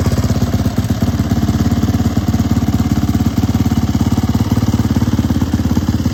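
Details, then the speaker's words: Turbocharged YZ450F single on E85, 1160 cc injector, very short downpipe: deep regular thump at steady idle, about three to four beats a second, even and strong; runs well. "It has a pretty nice tone. I mean, you know, when taking into consideration how short the downpipe is."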